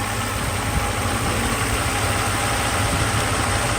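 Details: 1995 Mercedes S600 V12 after throttle actuator and E-gas module repair, air pump off: smooth, steady idle with even low hum, no knocks, misses or surging; engine running cleanly.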